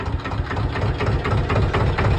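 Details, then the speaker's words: Canal boat diesel engine at idle: low steady chug with even rhythm, no knocks or misses; purring, smooth-running. "Purring, it sounds lovely. Like what? Runs on no diesel whatsoever."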